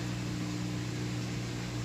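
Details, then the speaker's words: Frigidaire washer after repair (pump replaced, clothing removed from between tubs): steady, smooth low pump hum with a faint gurgle as the last water clears; normal drain pump running with empty tub. "here you go it's draining that's how it's supposed to sound when the pump is running nice and smooth you hear the water trick in and now it means it's empty"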